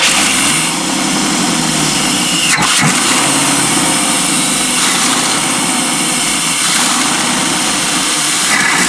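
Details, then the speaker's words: 1992 Chevy P30 RV, TBI 454 V8, hot day: ragged, hunting, stumbling idle; runs better with MAP sensor unplugged, fuel starvation, suspected weak inline pump or faulty fuel pressure regulator, no return flow. "so I unhook the map sensor and it runs much better which is a classic sign of fuel starvation"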